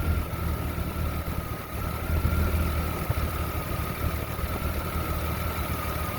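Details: Jeep Comanche 4.7L stroker petrol six idles rough with a deep, uneven rumble and an irregular, lumpy beat instead of a smooth hum.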